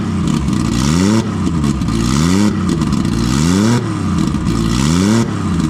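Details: Nissan RB20 inline-six after fixing no compression in cylinder 5 caused by a faulty lifter holding the intake valve low; four quick revs about every 1.3 s through open exhaust, smooth and even; all six cylinders pulling.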